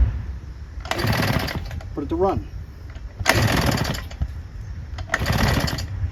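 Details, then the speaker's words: Husqvarna 150BT two-stroke backpack leaf blower after the plug-hole oil burned off: three pull-cord bursts a couple of seconds apart, never catching; not enough compression to ignite the fuel, no start, engine likely ruined. "run it kind of wants to but because of the lack of compression in there just not enough uh compression for it to ignite the gas in the chamber"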